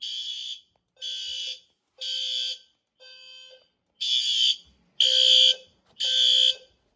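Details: System Sensor fire alarm test (L series strobe, P2R, P2R LF, P2GRL, SRL): loud shrill horn blasts about once a second with short gaps, a clean steady temporal pattern; horn-strobes sounding normally.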